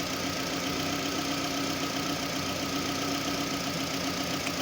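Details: 2009 Toyota Camry with codes P0171 lean bank 1 and P0303 cylinder 3 misfire, coolant about 68°, idling: faint uneven pulse under steady hum with some weak beats; misfire at idle.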